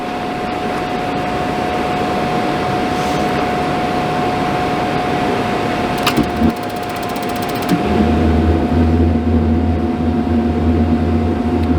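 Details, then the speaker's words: RV camper furnace that lit and went out repeatedly, removed and blown out with compressed air, tested on bench with shop equipment in background: blower whirr, then burner lights into full even rumble; running normally, fault not yet reproduced. "I know there's some equipment running in the background, but you should be able to hear the flames on."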